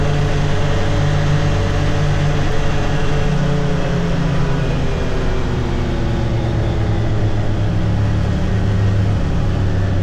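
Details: 2022 Can-Am Defender HD9 DPS cab with factory heater, after foam weather stripping fixed the heater core vibrating in its plastic slots; steady low rumble around 30-45 mph, no dash or cab rattle, faint tingy sound.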